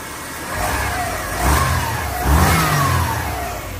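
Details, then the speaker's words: Subaru Forester boxer engine, LPG-run with high mileage: catches and revs cleanly twice, rising and falling smoothly with no misfire stumble or knock; runs properly now, though said to need adjustment. "Εντάξει, αλλά δουλεύει μαλάκα. Έτσι δουλεύανε κάθεν."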